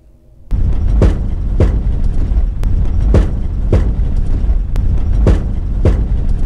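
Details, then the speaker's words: 2018 Subaru Crosstrek driven off-road over a shallow washboard section: sharp metallic metal-on-metal clunks from the left front shock tower area, twice in quick succession, over rough-road rumble. The shock seems overwhelmed; cause suspected, not confirmed. "a little bit different it actually happens two times quickly in succession and I the difference is the road is actually a washboard section of the road it wasn't really deep but it was definitely washboard here"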